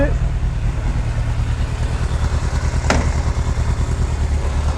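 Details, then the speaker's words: 1998 Yamaha YZF600R Thundercat after transmission repair and engine reinstall, running with rear wheel off the ground: steady pull, one clean clunk as first gear engages, no grinding; all gears shift normally. "first here got all the gears that's good"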